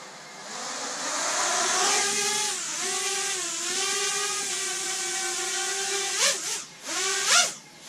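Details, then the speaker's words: Freshly built, painted Racer X ET5 FPV quad on 4S during a hover test. Smooth, even motor whine dips and climbs with throttle, with no rattles or rough beating. Motors sound healthy, fly "pretty smooth" and aren't hot afterwards. "yeah yeah it's it's fine pretty smooth sounds great"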